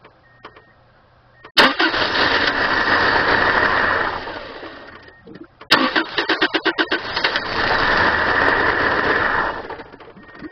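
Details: 1997 Subaru Outback with blown head gasket, running very low on fuel: two long cranking bursts catching briefly then dying, uneven chuffing between; hard starting, attributed to low fuel, ran out of gas.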